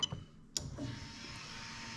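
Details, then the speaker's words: Lexus LS430 3UZ-FE VVT-i with new engine harness, ignition-on ECU test: sharp relay click then faint steady high hum as the fuel pump spins up and runs evenly; pump and wiring working normally. "So what I'm going to actually do is, in this case, I'm going to plug in the fuel pump so you can actually hear the fuel pump running."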